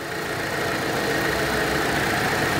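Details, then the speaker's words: Volkswagen Polo 1.6 idling: steady airy hiss from air sucked through an open vacuum port (broken cap), causing unstable running and stalling when returning to idle. "var burada yani Burası açık böyle duruyor duyuyor mu sesi hiç bak yarım kapatıyorum ses yapıyor zaten Burası böyle açık olduğu zaman tabii ki yine dengesizlik yapacak"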